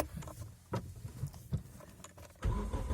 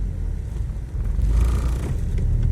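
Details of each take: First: Geely CK after addressing a failed mount that let vibration into the body; engine cranks, catches, settles into steady even low idle, no knocking, only faint residual body vibration; normal idle. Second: Geely CK-3 driving: deep steady droning hum and body vibration in the cabin; owner suspects the front engine mount, possibly the gearbox-to-body mount.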